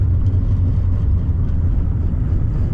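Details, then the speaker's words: Honda CR-V off-road camping car on oversized tires, after control arm/bushing work to correct positive camber; constant deep roar tracking road speed, loudest at the rear, no clunks or thumps: tire road noise. "These ginormous tires definitely makes a lot of noise, and I can really hear it in the rear."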